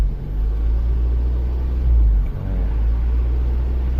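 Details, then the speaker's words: 1998 Mazda Protege 1.5L, also called a 97, with emissions monitors not setting: in gear the idle hunts 1400–1800 rpm, a deep rumble that sags and recovers, against a normal of about 800. Idle surge; MAF voltage stuck. "if you put it in gear like right now we're at 1800 rpms the updated rate is really slow you could say 1400 have fun it's like 1400 to 1800"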